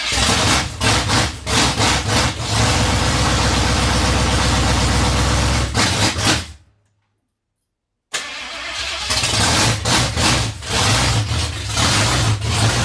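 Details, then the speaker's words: 1982 Ford F-350 with 302 V8 on open headers, garage start: loud, fast, even firing that cuts out, restarts and settles to a steady healthy run; normal running, loud. "well that sounds pretty good it's loud"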